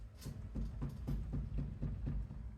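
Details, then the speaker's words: Bentley Mulsanne S steering linkage, knocking over kerbs: quiet dull knocks about three per second as the joint is rocked by hand; loose steering joint. "this joint here can you see that that one there the cated not there that one is also loose quite loose in fact"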